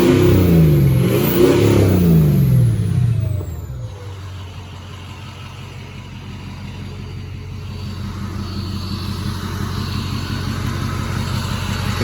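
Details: 2007 Ford F-250 crew cab Powerstroke diesel, rebuilt built motor with tuner, 268,000 miles, heard through a cracked door: deep diesel clatter swells through a hard rev, then settles to a steady, even idle with no knocks; healthy, blowing black smoke.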